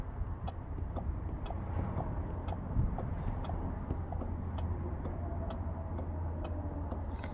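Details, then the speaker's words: 2009 Nissan Rogue 2.5L with P0447 code, after replacing cracked water-damaged EVAP vent control valve, commanded on/off with scan tool: crisp even clicks about twice a second over faint hum; valve working, fixed. "Just do on and off, and we should hear it click. Hopefully you guys can hear that. It's going tick, tick, tick, tick."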